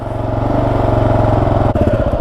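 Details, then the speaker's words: Freshly completed Kawasaki KLR 650 single, just started after a small backfire, warming up: steady even thumping settling into idle, no knocks or misses; normal warm-up idle. "All right, I'm going to give her a little bit of a warm up. I have started it and ran it from the top there."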